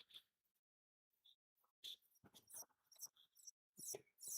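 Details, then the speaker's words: 1982 Philips Videopac G7000 console power supply: short high-pitched squeaks chirping on and off at an uneven slow pace, like a slow printer; it squeals and keeps restarting, suspected bad switching transistor, not confirmed. "Okay, yeah, like a squeaky printer that's printing really slow. So maybe the switchers that switches the transformers bad."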